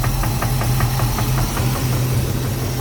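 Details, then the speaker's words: 1988 Chevy Caprice 350 with a 650 CFM Holley carb, transmission only has first gear; sharp evenly spaced internal knock over a low idle, felt through the valve cover, only at idle. Torque converter bolts checked; crank suspected, not confirmed. "it only does it it only has that knob like when it's idling and right now it's almost like you can probably hear it right now [Music] you can hear it and that's that's internal"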